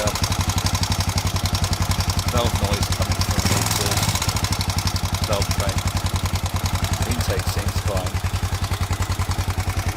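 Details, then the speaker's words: Honda XBR 500 single idling at 1300 rpm after resetting valve clearances (intake 0.10 to 0.15 mm, exhaust 0.12 to 0.19 mm), which cured stalling; sharp even tappet ticking at about 3.5 per second, too noisy from excessive exhaust clearance; owner plans to return exhaust to 0.15. "so standard was 19 for the exhaust no stad was 12 for the exhaust and i've now got switched to 19 which seems too noisy"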